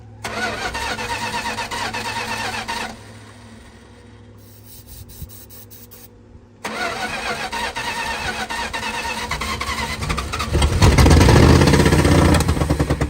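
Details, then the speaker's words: 1968 Plymouth Fury barn find, 318 V8 with one-barrel carburetor, not run in over 20 years, fed from a temporary fuel cell: steady starter cranking, engine never catches. Suspected it hasn't drawn fuel up yet; fuel filter to be checked. "probably didn't suck fuel up yet"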